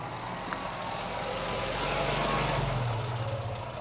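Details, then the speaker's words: Austin A40 Farina hot idle after a drive that developed a misfire, with oil pressure dropped and ignition light coming on: uneven, slightly lumpy idle beat; owner suspects ignition problem, cause unclear. "took Oscar for a spin last night and on the way back he started developing a bit of a misfire"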